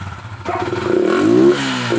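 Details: Motorcycle with fuel injection, tank and plastic panels removed, restarted with the very dirty air filter taken out to test whether filter clogging causes the misfire; engine catches and revs with an uneven, slightly stumbling climb, still misfiring, cause unconfirmed.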